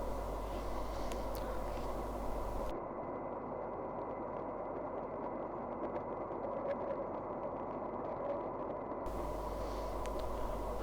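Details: Sawmill driven by the tractor PTO, output lowered from 1000 to 540 RPM: steady, even mechanical roar at moderate speed with no knocking or labouring. Normal sawmill running.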